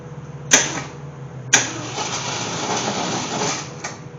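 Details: AMC Gremlin with an unknown 290 V8 from a 1968 Javelin, after sitting for years and with fuel dumped in: two clunks, then steady cranking with no firing. Suspected no spark.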